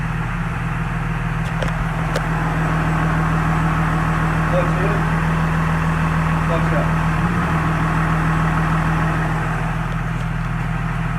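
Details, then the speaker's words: 2017 Cummins with G56 manual gearbox and Valair organic dual-disc clutch, after replacing stock ATF+4 with 7 quarts of Mobil Delvac 50: even diesel idle with the previous gear rollover rattle gone, nearly silent and healthy. "I'll say it shifts so much better you can't hear I can barely hear any gear all over this"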